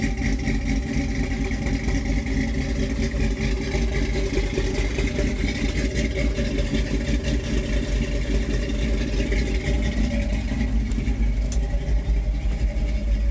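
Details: 1978 Ford F-150 4x4, 351M/400 V8 with a new Holley 4160 (electric choke), Edelbrock intake, Hedman headers, Flowmaster duals: a lumpy, unsteady, rich cold-start V8 idle that smooths out when warm. The choke stayed on too long; the fix was adjusting it to release sooner.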